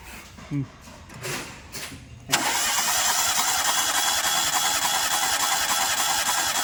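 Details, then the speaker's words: Suzuki Alto with a pickup problem, compression test: starter churns at about 200 beats a minute with one beat per cycle noticeably lighter; the middle (second) cylinder has weak compression while the other two read above 150; head to come off to check tappets or valves. "കുറവുണ്ട് കേട്ടോ. ഈ നടുവത്തെ സിലിണ്ടറിൽ compression കമ്മി ഉണ്ട് അല്ലേ."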